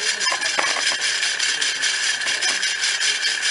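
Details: Ceiling fan, noise at every speed (low, medium, high) and either direction: harsh hissy grinding rattle with scattered irregular clicks; opened, found a broken ball bearing.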